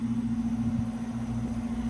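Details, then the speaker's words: Brand-new 2024 Ameristar air conditioner with a Trane American Standard rotary compressor and a fan motor with two swept blades. It makes a soft, steady low hum with a light fan whoosh and no rattles or knocks: a very quiet rotary running normally. "It's very quiet. That's what a rotary sounds like."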